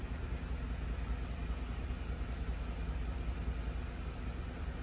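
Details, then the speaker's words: 2011 Lincoln Navigator V8 with a high idle and shudder at stops, missing on one bank. Deep, uneven thumping sounds under idle, loudest on the driver's side; source unconfirmed. "he thinks he's hearing it more from the driver's side too which is where all this is happening"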